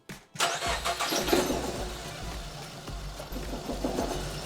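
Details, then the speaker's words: Nissan X-Trail T31 manual with a cylinder 3 misfire (P0303; spark plugs already replaced, ignition coil suspected) during coil-disconnect testing: lumpy, shaking idle with uneven stumbling beats; misfire, two cylinders not firing. "Now while it's not running great, it's certainly better, isn't it?"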